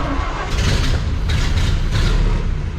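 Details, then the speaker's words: 1929 Model A Ford Tudor sedan, converted to 12 volt, about 75,000 miles, started on choke with a little throttle; catches right away and settles into a low even chug with steady pulses, no stumbling; normal quick start. "Starter button's down there. throttle's down there, so crank her over and give her a little gas. Popped right off, so we'll turn the fuel back off, or the choke."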